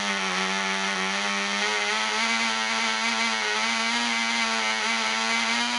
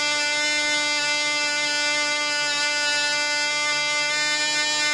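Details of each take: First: Black Widow mouse racer glow engine on its first test run: polished crank bearings, fitted cylinder/piston, high-compression head, 5x3 prop, 24% nitromethane, needle at three turns. A high, buzzy steady scream with a slight wavering burble; it is set rich for the early runs. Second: Black Widow mouse racer second run after loose screws found, 24% nitromethane fuel, 5x3 prop, high-compression head: high steady full-throttle buzz holding pitch, about twice as loud with prop wind audible; runs strong and clean.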